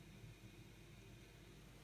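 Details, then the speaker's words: Circulator (central-heating pump) reconnected after an off test with the boiler running and pipes only lukewarm; steady quiet low hum with no knocks, normal running, hot water circulating again to the radiators. "Donc de là, je vais rebrancher ma pompe, mon circulateur, et là on l'entend"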